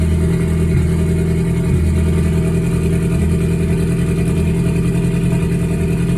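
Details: Ford Focus at idle, after recent spark plug and fuel injector replacement; timing suspected off. Loud, deep idle with an uneven stumbling beat; scanner shows misfire count six, cylinder three misfire.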